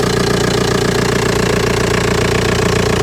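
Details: Old Audi A4 diesel idling after aux belt and tensioner replacement with Gates parts; even diesel clatter at about two and a half beats per second, steady and smooth, no belt squeal; normal idle.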